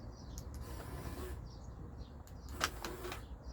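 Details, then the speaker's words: Car door lock actuator removed after the door would not lock, internal mechanism manipulated and cover closed so it presses better; short crisp motor buzzes as it cycles lock/unlock, quick and clean, now working normally. "Bu şekilde çalışıyor. Aç kapa yapalım. Ses geliyor zaten motordan."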